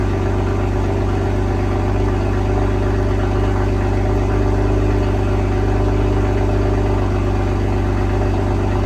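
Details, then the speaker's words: 2022 BMW M240i B58, just after an MST downpipe install with both O2 sensors reconnected, warming up. Smooth, steady idle with an even exhaust pulse and no ticks or knocks. No check engine light; normal idle. "The install is done. Sounds great. No check engine light on."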